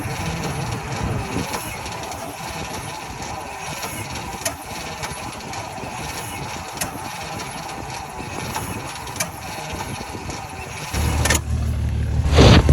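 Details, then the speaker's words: 1949 Ford shoebox engine, unstarted for 50 years, with new HEI distributor, new starter cable, added ground and new jumper cables: sluggish uneven cranking about three turns a second, never catching, brief flare near end; still very slow crank, cause unknown. "okay so I was getting obviously really really slow crank I ran a new starter cable um I added a ground even actually got new jumper cables cuz I thought mine might be junk um so that has not helped at all it's still super CL slow crank it's trying to fire"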